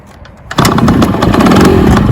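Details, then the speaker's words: 1967 Yamaha U5E 50cc two-stroke scooter, 3-speed automatic, injection pump working, after extensive work: starts immediately with the key and settles into a busy, even two-stroke buzz, no misses or knocks; running really well. "I spent quite a bit of time working on this one, and it's running really good."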